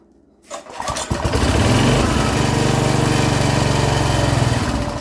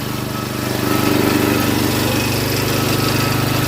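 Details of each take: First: Free rototiller that had sat unused, updraft carb: after fuel is drizzled down the spark plug hole it fires and runs rough about five seconds on the prime, then stalls; owner suspects it still isn't pulling fuel. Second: Rototiller single-cylinder engine with updraft carb, long unused, running after fuel was drizzled into the spark plug hole: quick even putt-putt, steady firing, no misses or knocks; engine finally running happily.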